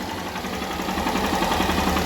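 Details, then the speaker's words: 2018 Honda CG 160 Start after an engine rebuild for noise caused by lack of lubrication: an even single-cylinder putter with no knock or rattle. Quiet, healthy idle. "top silencioso"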